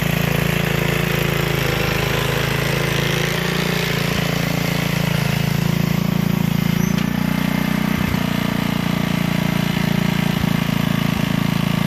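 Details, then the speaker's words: Gilson rear-tine tiller, a junkyard find from 4–5 years back, test run after cleaning dirt out of the sticky recoil. Steady low drone holding even speed while digging, with a few light tine knocks. Runs healthy. A fuel leak was noted at the tank/carburetor seam. "Well, runs good."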